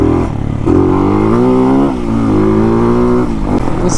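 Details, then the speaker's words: 2023 Hawk-X 250 single with modified stock PZ30 carb (tamper parts removed, mixture out 2 1/4 turns, 110 main jet, stock pilot), warming up: smooth, even note holding steady with a few light blips and no knocks or misses; runs cleanly, better than stock. "Sounds good. Feels good. Feels alright. Definitely better than stock."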